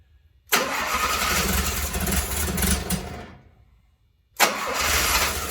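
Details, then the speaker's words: 1972 Fiat 850 Spider, fed from a separate fuel supply with less choke: starter churns steadily about three seconds, stops, cranks again, never catches; no fuel coming out, owner suspects a clogged fuel pump. "Or gas in hand. Nothing out of the fuel yet. Fuel pump. Okay, so I got a little bit of evidence that it might be a clogged fuel pump, because when I took off this hose here and it went to here, there was fuel here, but none came out of here."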